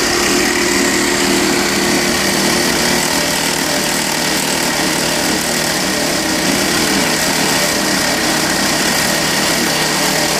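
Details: Rattling from under the hood of a 2012 Volvo XC60 2.4 D5 AWD diesel at idle: a steady, buzzing metallic rattle that the Volvo garage traced to the alternator, confirmed as a worn alternator pulley bearing.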